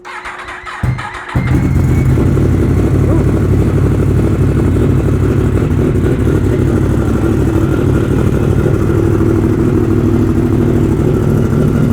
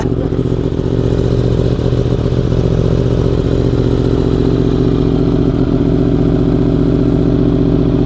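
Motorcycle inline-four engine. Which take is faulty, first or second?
first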